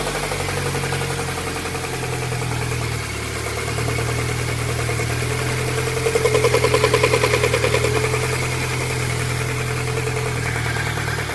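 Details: VAZ 124 engine at idle: regular light knocking, about three per second, louder briefly as revs rise slightly. Knock from inside the engine.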